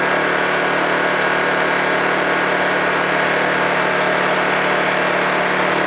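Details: Honda generator unused for about three months, after a cold start: steady, even drone at constant pitch with no knocks or surging, running smoothly.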